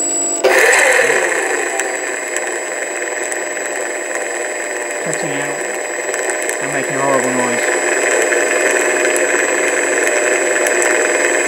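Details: Stock motor on a plug-and-play Sky Mule model aircraft, never flown, with motor nuts removed to rule them out; steady high electric whine with harsh rough buzzing and faltering. Worn-out motor bearing.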